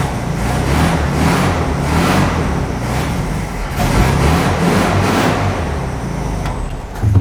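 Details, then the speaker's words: VW Beetle engine at its first start after sitting 20+ years, perhaps 40, in an enclosed garage; the choke works poorly and it wants full choke even when warm. It surges and sags without settling to idle, running rough. "So, I think it runs terrible. I had it outside for a long time trying to get it to idle. It won't really idle very well."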